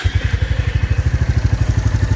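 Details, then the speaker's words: New 2024 Royal Enfield Classic 350 Reborn single-cylinder, started in neutral, even steady low thump at idle with no tapping or rattle; clean normal idle with no noise. "तो ये रहा आप सुनिए। उपार्जन, बिलकुल नहीं ऐसी कोई बात नहीं कोई आवाज नहीं है।"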